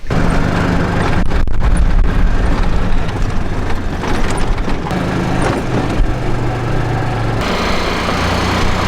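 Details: Old golf cart engine on a test drive after fixing a head-gasket air leak; steady low drone rising and falling with throttle, light valve tick from worn engine, no hiss or puffing; running normally.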